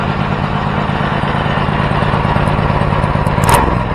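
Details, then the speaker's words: First start of a custom 424cc Predator 212-based inline twin, carburetor needle clip at middle setting: fast, busy idle with quick even firing pulses and some clatter; idle is a bit high, builders plan to raise the clip so the needle drops. "um you know what i was noticing was that the idol is a bit high so we have we have that needle jet set in the middle so we'll have to raise that"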